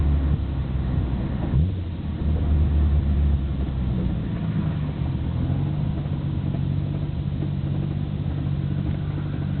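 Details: Nissan Skyline GT-R BNR34, stock Getrag manual gearbox with Nismo clutch, recorded windows open: deep, uneven rattling rumble at steady idle. It is abnormally louder than usual and lags after pressing the clutch. Unchanged after gearbox oil change; cause unconfirmed, overhaul considered.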